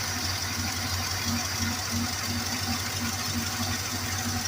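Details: 1968 Plymouth Fury III with 318 V8 at a salvage yard, first startup after fitting a carburetor with a little fuel down the throat: steady low idle with an even pulse of about three beats a second and no knocks.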